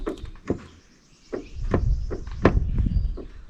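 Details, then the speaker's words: 1959 Mercedes-Benz 220S Ponton (W180) brake linkage at the master cylinder, pulled by hand like pressing the pedal during brake bleeding: sharp single clicks from normal pushrod free play before the rod meets the piston. "you can hear that click. That's a little bit of movement before the rod starts to connect with the piston in here."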